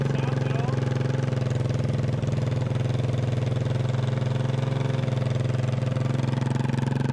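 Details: 1988 Honda TRX200SX single-cylinder engine on the bench just after full rebuild (cylinder bored .020 over, new crank bearings and seals, replacement case, JB-Welded stator cover): even thump about 3.5 beats a second, steady, no knocks or misfires; healthy idle, runs like new.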